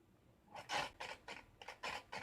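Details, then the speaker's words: Homemade generator after fitting new nanocrystalline core segments: short scraping rasps in uneven bursts about every half second as the rotor turns; a protruding segment was first suspected, then a popped-out rear bearing. Rotor rubbing. "Oh, it might be the bearings popped out again. It might be that. Yeah. The bearing at the back, that's why he was catching."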